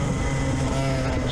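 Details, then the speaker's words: Kart on track at a Palace Karting test day in Galway, run on despite brake trouble from a master cylinder fault: loud raspy drone at speed whose tone pitch changes harshly as the exhaust breaks off. "And there goes the exhaust. That's what it did. The exhaust broke off. You can hear the tone pitch changing."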